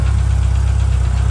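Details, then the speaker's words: Turbo Honda H22 in CB7 Accord, first startup after fixing no-start, warming at idle, not yet revved, running rich: faint quick light tick over low idle, quieter than before, from one side; builder suggests valve lash adjustment, unconfirmed. "It's not as loud as it was in the previous clip. Haven't revved it yet. Letting it warm up a little bit."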